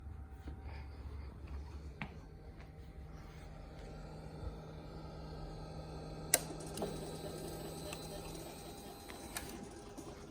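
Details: Suzuki GSXR: light irregular clicking about twice a second over quiet low engine hum, seeming to come from where owner thinks the TPS and secondary TPS sit; cause not confirmed.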